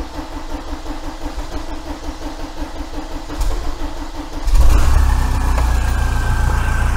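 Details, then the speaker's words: 1987 VW T3 camper with a TDI diesel engine, restarted after a compression test with two fuel pipes removed and refitted: steady cranking, then it fires and runs loud and uneven; rough running from air bleeding out of the lines. "t up now anyway it'll sound like a sack of hammers for a minute because the uh uh two fuel pipes were off so it'll take a few seconds for them to bleed out but they will they'll do it under around when the engine's running"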